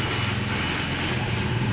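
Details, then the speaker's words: Tata Zest petrol idling with an uneven, stumbling low beat and malfunction light on; scanner shows a cylinder 1 fault, and the misfire comes from the cracked cylinder 1 ignition cord leaking current, which is then replaced. "और ये मिसफायर कर रही गाड़ी।"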